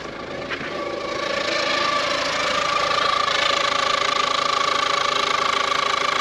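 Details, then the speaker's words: Ford Courier (Peugeot/Citroen engine) first start after timing belt and water pump replacement, top cover off: steady high whistle and quick regular ticking at idle; owner unsure, suspects fan belt, water pump or alternator, no marks on timing belt. "what that noise the fan belt hope it's not the timing belt I can't see any I can't see any marks on the timing belt so what the hell is that noise m could be the water pump"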